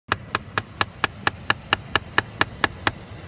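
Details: 2013 Chrysler 200, parked with engine off: loud, crisp, evenly spaced clicking about four per second from behind the glovebox near the cabin air filter, happening constantly even after long sitting; cause unknown.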